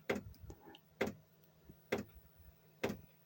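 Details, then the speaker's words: Chinese diesel air heater temporarily refitted after losing heat and throwing E10: glow plug lit, dosing pump ticking about once a second over faint fan hum, but blowing cold air; suspected contaminated fuel. "okay there you go the pump has um started i fitted back in temporarily as i said the um the glow plugs lit the pumps pumping"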